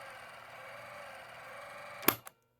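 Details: 1970 Panasonic RQ-209AS cassette recorder in rewind after new belts and lubrication (previously weak, dry squealing motor bearings): steady, even motor whir holding speed without sagging, then a click and clunk on stopping; strong, normal rewind.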